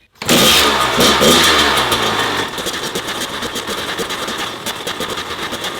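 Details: Kawasaki KX100 two-stroke after top-end rebuild, fuel issues and exhaust gasket compression loss fixed, on its last heat cycle before break-in: it fires immediately, revs crisply, then settles to a steady, even crackling idle; healthy.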